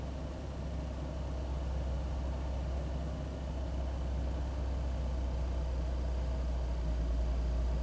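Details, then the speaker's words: 2001 Ford Taurus after cleaning the idle air control valve and throttle body: low, even idle rumble with steady beat, no misses; runs better, new part needed if rough idle returns. "it seems like it's running better but if it starts acting rough again i just have to put a new part on there"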